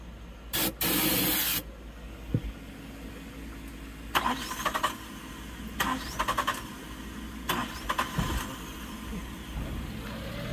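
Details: 1996 Suzuki Every kei van after fuel pump replacement, weak battery: starter cranks in short bursts, engine catches then dies each time; crank no start.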